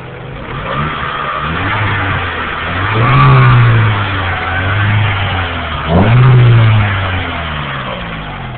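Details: Acura B18 petrol engine revved twice with a rough metallic grinding from a failing water pump bearing, which may fall apart or seize and damage the timing belt; new pump and timing components recommended.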